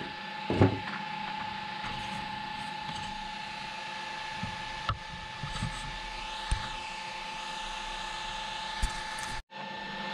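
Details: Traxxas X-Maxx RC truck after cush drive repair (previously chewing spur and pinion gears), test spin: motor and gears hold one steady whine, no longer rising and falling high-low as before repair; drivetrain spinning smoothly.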